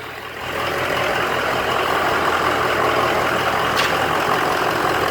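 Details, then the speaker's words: Ford 6.0 diesel truck that dies when the coolant bottle is installed, running with bottle removed: steady even diesel clatter at idle, no stumbles or dropouts; normal healthy idle. "the bottle out of it running like a champ rather a champ"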